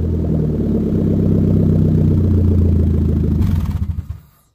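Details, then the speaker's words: Em2 with DC Sports cat-back on stock header with catalytic converter and resonator, running a little rich: deep exhaust rumble with steady puffing tick about four times a second from massive exhaust leaks, header to be replaced. "I do have some massive massive exhaust leaks that I don't want to deal with so I just bought that so you're gonna hear it"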